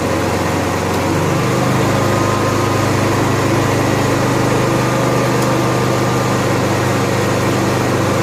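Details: Honda EXW171S welder generator, sat in a barn over 5 years, run indoors after choke warm-up: loud, steady hum settling to an even pitch after the first second, no knocks or misses; normal running.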